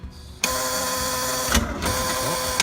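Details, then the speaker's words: Boat engine at first key-on after purchase, battery and engine exposed: a steady electric whirr starts on the key click and runs evenly for about two seconds before stopping, sounding healthy and normal. "Oh, that sounded good. Yeah, it did sound good. I like that sound."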